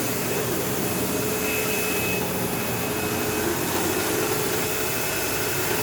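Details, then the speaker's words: Sebo Automatic X5 upright vacuum running while vacuuming a living room: steady loud motor roar with constant buzzing hum and occasional squeal like a slipping belt; brush roll rattles and vibrates. Owner suspects worn brush roll end material causing play; the belt had tension. "Yeah, so I don't know if you could hear how bad that buzzing sound was. And like I could even sometimes hear like a squealing noise, almost like a belt slipping, even though there's no belt in this."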